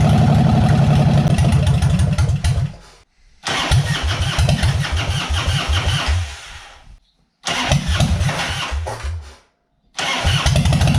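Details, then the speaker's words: Heavily modified 1995 Harley-Davidson Dyna 1340 bobber, first start in 3 years after a tank clean-out and an added fuel filter, pops loudly and unevenly from open pipes. It runs only on choke and won't idle or take throttle; owner suspects a top-end noise. "so you can hear it's fired but it only ran on choke and it was pretty not a bit noisy anyway but then I'm I kind of felt like there was a noise like a top in noise or something going on there too so just gonna leave it for a bit it wouldn't run that wouldn't idle wouldn't even throttle"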